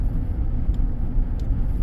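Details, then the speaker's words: 2015 Chevy Silverado High Country crew cab, customer reports check engine light and limp mode, while driving on the road: heavy low rumble pulsing unevenly, shuddering badly; cylinder 3 misfire logged twice, possibly a glitch; mechanic suspects the torque converter. "I think that's torque converter I think that cylinder 3 misfire was just a glitch but it did it two two times"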